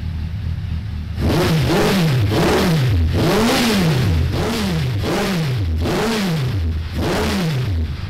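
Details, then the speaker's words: 2002 Suzuki Bandit 1200S four-cylinder, fuel overflow fixed, jetted stage three with pod filters, not yet warmed up, mic moved back: seven quick throttle blips rising and falling cleanly over a steady idle; runs normally again. "and that runs pretty much exactly as it did when it was you know mine and when i sold it to him and he's been enjoying it ever since"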